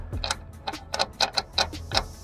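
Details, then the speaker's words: Land Rover Discovery Sport L550 2.0 TD4 Ingenium diesel with loss of power and a restricted performance warning: the turbo wheel, nudged with a pick, gives sharp uneven metallic clicks. The compressor wheel has collapsed and its blades are damaged. "we know why it had no power the turbo's collapsed on itself"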